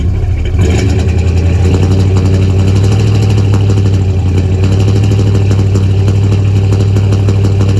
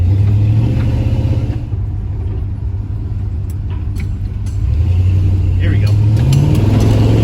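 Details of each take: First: 1977 Chevy C20 V8 at idle, recorded at the exhaust: deep loping note with uneven stumbling miss, sputters in drive; distributor turned to retarded timing causes the misfire. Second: 1977 Chevy C20 truck with a long-standing miss, after adjusting ignition timing by ear by turning the distributor: deep engine drone climbing smoothly without stumbling or pinging on the freeway, clean healthy acceleration with much more power.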